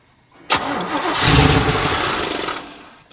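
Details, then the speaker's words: 1986 Chevrolet K30 dually, first start attempt, fuel tank just hooked up, pump must push water out of lines that were laying back there: sharp starter engagement then labored cranking that never catches; cranking no-start from fuel starvation. "It's got to pump all the water out of those fuel lines too that were just laying back there."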